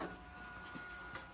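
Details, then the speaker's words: 2014 Victory Cross Country motorcycle with almost 70K miles, first cold start since November storage: at key-on the fuel pump gives a thin, steady high-pitched whine, priming louder than it should. "Oh, the fuel pump's screaming."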